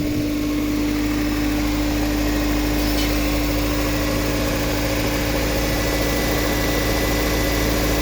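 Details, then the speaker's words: 1997 Toyota Corona Exsior, 4A 1600 cc engine, automatic, never converted to gas: even, steady idle with a smooth low drone and no misses, knocks or surges; engine runs normally. "เครื่องยนต์เดินเรียบๆนะครับไม่มีสะดุดนะครับ"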